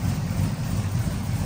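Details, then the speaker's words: 1999-06 Chevy Silverado V8 with cam, new Flashark headers and intake, idling lean near 15.4–15.5 AFR; quiet from mic position: deep steady burble, no ticks or knocks; healthy idle. "And it's not obnoxious. It's not obnoxious at all. It's not bad at all. Up here, can't hear anything."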